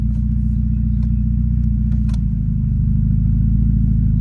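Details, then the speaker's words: Automatic transmission that used to bang into gear because of a faulty park/neutral safety switch bracket, after the bracket repair: steady low engine rumble with no clunk as it drops smoothly into reverse. "perfect put it in block again put it in reverse perfect put it in neutral put it in drive you don't even feel it in"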